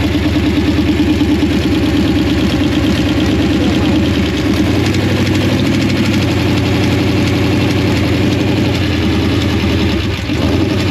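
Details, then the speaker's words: Fresh 355 V8 with a used roller cam makes its first start on open pipes, timing too advanced and oil pressure 50-75 psi. A faint metallic ting rides over the lopey idle; owners suspect valve adjustment and ignition timing are needed, possibly 87-octane fuel. "I'd like to know what that sound was though sound like something was going ting tang I think that was uh I think we need adjust the valve and get the ignition time and set correctly"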